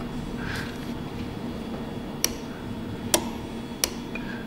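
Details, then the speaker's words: Chevrolet Trailblazer secondary air injection system, relay commanded on via scan tool: sharp irregular relay clicks at idle but no pump whir; broken wires, water in relay and relay poked with test holes; clicking doesn't mean relay is good. "we got power on that side when the relay clicks just cuz the relay clicks what's that mean folks doesn't mean it's good it just means it clicks"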